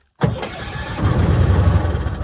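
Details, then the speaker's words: 1966 M274A2 military mule cranked with its mechanical lever and fed a little starting fluid: cranks healthily, then catches and runs unevenly for a couple of seconds. Spark and ignition work; fuel delivery is next to check. "holy crap it fired [Music] let's do that one more time I just want to hear it fire up again that was kind of cool"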